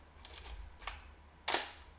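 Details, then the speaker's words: Canon F-1 film camera with a 20-35mm f3.5 lens fitted (shutter speeds 1/2000 to bulb): light handling clicks, then a crisp mechanical shutter snap with a short metallic ring-out. A healthy shutter firing. "That's the shutter sound."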